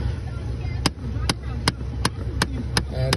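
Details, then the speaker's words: Sharp, evenly spaced clicks, nearly three a second, under the dash from the HVAC blend door actuator motor; its small plastic gear ears strip inside; the actuator can be replaced. "what happens is these little plastic ears they strip inside here there"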